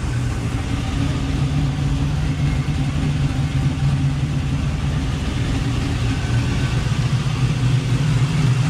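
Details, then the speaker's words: Chevrolet Nova, warm at about 186 after thermostat replacement and coolant refill: steady, even low rumble at idle with no rattle or tapping; the earlier rattle, which seemed to come from under the car, was likely the grille resonating through the body. "I think the rattle is is gone I mean I haven't heard anything since I started it again so maybe it was just that Grill it's weird it sounded like it was coming from the bottom of the car but it was just resonating throughout the body sounds much quieter"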